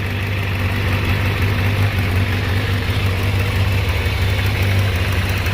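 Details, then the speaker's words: Kawasaki ZZR600 four-carburetor inline four, after replacing a clogged fuel filter: smooth, even low idle burble holding steady with no stumble or hunting, and the carb vacuum gauges are stable and closely matched, so synchronizing is unnecessary; normal idle. "are all damn stable [Music] that's pretty hard to argue with that i was thinking i was gonna have to synchronize these but now i'm thinking it's not a necessary thing"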